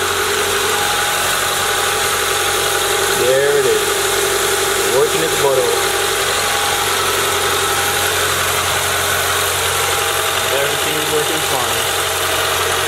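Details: Car engine after a first-time valve cover gasket job, done because of oil in the spark plug holes, and with the power steering now working: steady, even idle hum with no knocks, ticks or squeals. Normal idle.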